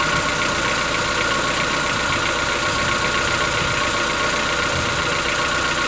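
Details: Chevrolet Onix 1.4 petrol, 2014-15, cold idle after cold start: busy, fast light ticking over a steady run, present since new and lasting about 10 minutes. Owner suspects a tappet or other internal knock, not injectors, and says it worsens yearly; dealers call it normal.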